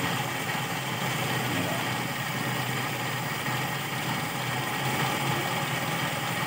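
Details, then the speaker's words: Toyota Kijang Super carburetor engine after carburetor service, idling; low, even idle under background hiss with no shaking or hunting; normal idle. "we've found already level the engine is level it doesn't shake the engine give this is normal, this can be lowered, the rpm won't turn off, this"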